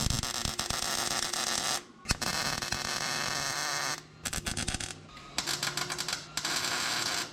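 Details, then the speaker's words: MIG welder used on sheet-metal fabrication for a 1963 IH Loadstar Cummins swap: harsh crackling bursts cutting in and out instead of a steady sizzle, a spit and sputter blamed on a dirty welding tip. "We must have a bad tip or something going on cuz she ain't welding for deadly. Hey M put's got a dirty tip."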